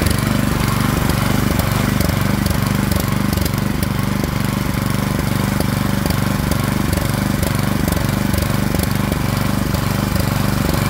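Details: Craftsman snowblower, model 247.889571, 179cc single-cylinder, running after throttle slide stop adjusted to raise RPM: quick, steady beat at about three and a half pulses a second, no misses or surging; running healthy.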